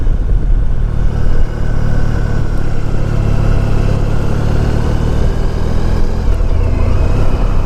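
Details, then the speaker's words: 1994 Honda ST1100 test ride after replacing the front wheel bearings that had turned noisy after a tire change. Smooth engine drone with no growl or hum from the front wheel; bearings now quiet. "the bearing must have been a week because now I don't hear that noise is not making the tire noise anymore"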